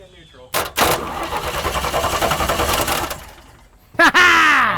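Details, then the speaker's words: 1983 GMC Sierra 250ci straight-six, sitting 17 years, in neutral: starter turns it over about two seconds with an even, steady chug and no binding; normal cranking, engine not seized. "it's spins it's moving sounds good yeah all right sounds like something all right"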